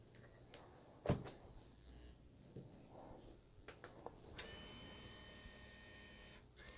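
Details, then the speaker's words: Nintendo Wii from a for-repair console lot, powered on without a game: faint clicks, then a soft steady whir as the disc drive spins up; the disc drive sounds like it is working normally. "disk drive sounds like it's working let's see if we can sync the controller and so far so good"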